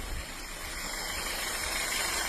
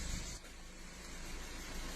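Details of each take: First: 2015 VW Golf 1.4 TSI, in for misfires on all cylinders, in freezing weather with part of the airbox disconnected: steady even idle under a loud open-intake hiss with no stumble. Misfire data now shows no misfire on cylinder three. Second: 2015 Volkswagen Golf 1.4 TSI in freezing weather, codes for misfires on multiple cylinders: idle with a low, uneven, lumpy beat; live data showed misfire on cylinders 1 and 3; plugs and coil packs to be checked.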